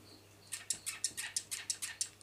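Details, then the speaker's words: Xpedo Thrust 7 cast magnesium clipless pedal after about 300 miles, recorded right after a ride: sharp chirping squeaks about six a second from a dry, unlubricated retention clip; later fixed with oil. "after a few hundred miles they started creaking"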